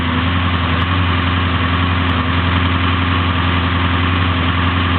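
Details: Warm idle of a JMacPerformance 383 small-block Chevy 4x4 truck engine rated 350 hp/475 lb-ft: 9:1 compression, Edelbrock RPM manifold, 650 Demon carb, small Comp flat-tappet cam, HEI. Plenty of oil pressure, strong vacuum. Steady, even deep pulse with no ticking: runs extremely well.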